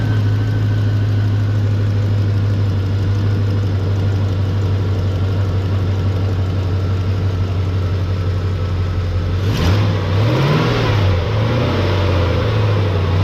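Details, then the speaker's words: Chevrolet Caprice 9C1 LT1 V8 after new water pump, Optispark, radiator hoses, knock sensors and oil cooler line removal: smooth, even idle with steady low drone, then clean rev up and back down; sounds healthy, normal idle and rev. "hey this thing sounds good it must be the green hoses yeah this thing sounds nice that sounded good"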